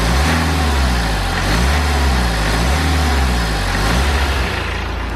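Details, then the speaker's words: BMW N47 diesel after replacing the leaking charge air pipe: steady, even idle with a smooth low throb, the boost-leak hiss completely gone. "then, so that hissing has completely gone away now, which was to be expected."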